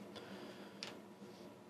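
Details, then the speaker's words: Diesel heater that has never worked despite new controller and ECU, glow plug on: sparse faint fuel pump ticks about once a second over soft fan hiss, fan and pump speeding up, white smoke, never catches; not igniting. "fuel pump's getting faster fans getting faster uh we're slowly filling filling up the smoke in here uh i might just turn the extractor fan on i have activated the extractor fan fan's getting faster fuel's getting faster still not lighting"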